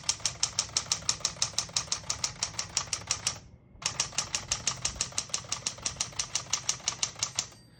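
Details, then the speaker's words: 1961-63 Tower Citation 88 portable manual typewriter, margins set about 0 and 75, single spacing: margin bell, rapid even key strikes about three per second, short pause, typing resumes; working normally. "you hear the bell, you're at the end of the margin. You hit the flying space, kicks back to the beginning, it skips 1, 2, or 3."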